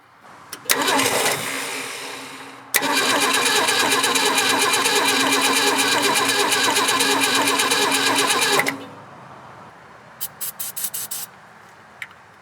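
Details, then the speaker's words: 1967 Ford Bronco parked in the woods since 1996 (26 years): starter cranks steadily about three turns a second without catching; carburetor seized with zero throttle movement, suspected not getting fuel, carb needs rebuilding; crank no start. "i don't think it's getting any fuel gentlemen"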